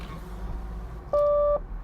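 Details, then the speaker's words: 1986 Nissan 300ZX (R31) solid-state synthesized voice warning system: "left door is open", "right door is open" announcements with a steady mid-pitched chime over low cabin hum, door-ajar warning. "left door is open left door is open right door is open"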